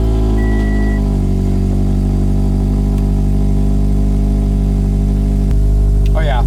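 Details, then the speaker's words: Scion FR-S after replacing all ignition coil packs for codes P0302 and P219A: steady, even idle with smooth low hum, no stumbles or skipped beats; misfire gone, running cleanly on all cylinders. "way better nothing's missing now it's smooth"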